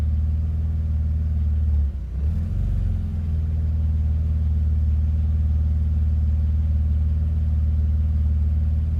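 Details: BMW Z3 idling cold with a lumpy, uneven low beat and a brief dip and wobble near two seconds; rough idle when cold.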